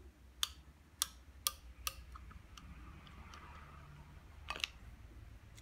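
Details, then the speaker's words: Washing machine water-level pressure switch opened up, diaphragm plate pushed by hand: crisp clicks, then a quick double click, as the reed switches operate normally at two water levels. "so there we have it you see now at different pressures I'll operator will do different heights of water in the top so if this presses down on that not that you can hear the two different levels"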